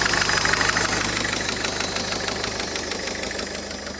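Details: 2010 Citroën Nemo 1.4 HDi (DV4) 75 hp diesel, 240,000 km, turbo apparently already replaced: even diesel clatter at idle, about three beats a second, steady and unlabored; a healthy, well-maintained engine.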